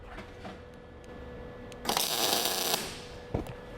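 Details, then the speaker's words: MIG welding test bead on scrap after turning heat up from too cold: brief dense even crackle like frying bacon, more consistent, indicating correct weld heat. "And it's a little bit better. You can hear it, it sounds more like frying bacon, it's a little more consistent."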